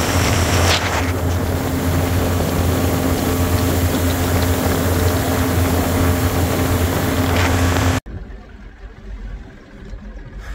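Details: 1983 Evinrude 70hp outboard after new plugs and a clean with compressed air. It holds a strong, steady drone at about 53–55 km/h with no misses or surging, then drops back to idle in gear; it runs healthy.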